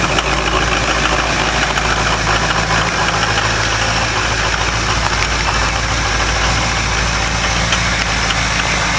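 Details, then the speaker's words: Ford 6.0 Powerstroke diesel cold start without block heater, after a repeated glow plug cycle: steady, even cold-idle clatter with no loose knock or miss; normal injector fuel-atomizing sound. "That's normal. Just atomize fuel."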